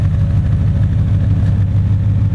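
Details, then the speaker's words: 1978 Datsun 280Z with Jag-a-tron V8 conversion (T56, Centerforce flywheel): deep, even V8 burble at a steady idle with no skips or knocks, cooling fan audible. The engine sounds healthy. "this car is really put together care again you can can kind of hear the fan running the fan kicks on and off as needed"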